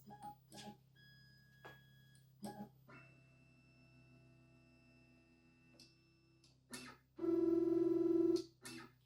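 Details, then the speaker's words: BobsCNC Evolution 3 CNC router after reconnecting the Y-axis home switch to its correct connection; a few clunks then a short steady stepper buzz while the axis travels, stopping cleanly at the switch: normal homing. "all right sounds like it's held successfully"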